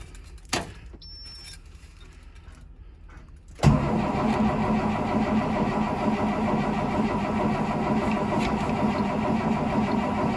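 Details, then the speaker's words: 2003 Blue Bird bus, DT466E diesel, cold start at 11°F, not plugged in, last run a week earlier: starter turns the engine over steadily for about seven seconds, never catches; ether needed. "over yep that's going to be a hard nope so uh I'm going to have to run over to the storage unit and grab my can of ether and we'll see if we can't get this thing to start"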